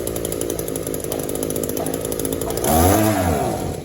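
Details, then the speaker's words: Echo two-stroke string trimmer, Walbro WYK carburetor, crankcase and cylinder sealed, fuel filter and exhaust ports clean, before adjustment: steady idle burble, then a throttle blip that rises and sags without climbing; lean bog, idles but won't rev. "Let's just see. It'll idle all day long, but it won't rev up."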